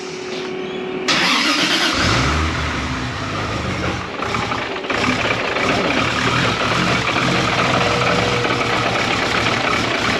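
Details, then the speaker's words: Toyota Supra first start after cleaning and refitting Bosch 2000cc injectors, cold before warm-up: brief crank, then catches into an uneven stumbling idle; owner suspects air in the injectors. "Maybe some air in them."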